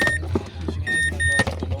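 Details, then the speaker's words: Mazda 6 automatic with no crank, no start and no ignition power, after wiring repair restored power: short high electronic chirps over a low hum and clatter; car alarm sounding. "Ayan natunog na Ayan oh tumutunog na siya may alarm na"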